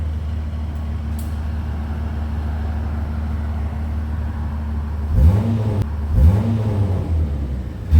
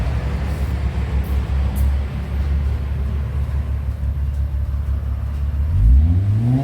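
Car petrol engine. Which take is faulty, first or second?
first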